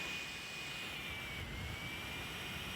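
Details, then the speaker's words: Creality CR-10S Pro 3D printer, original stock turbo blower fan running before replacement with a Noctua: steady loud jet-like whoosh with thin high whistle, noisy. "OK, la suite pour le fan turbo qui était d'origine. Alors, on peut le voir ici qui est en train de tourner. On peut entendre le bruit."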